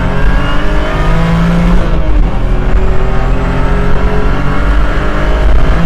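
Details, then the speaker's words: 2009 BMW E92 328i track car, hard full-throttle pull: steady differential and transmission whine over the engine roar, carried through solid aluminum differential bushings, transmission mounts and engine mounts. "So, as you guys could probably hear, there's a lot of whining noises, a lot of like differential and transmission whine, and a big reason behind that is simply due to the solid aluminum mounts that this car has."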